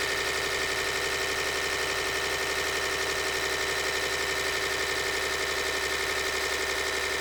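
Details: Freshly built P7100 P-pump for a 600hp 24v Cummins on the test bench after balancing cylinder volumes; steady even drone with constant high whine, no knocks or misses, plungers flowing balanced, healthy pump.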